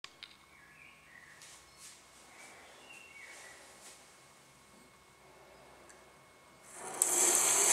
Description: After installing the Tres (Tres Griferia) Quadro taps in our bathroom, the basin mixer taps began to make a loud noise.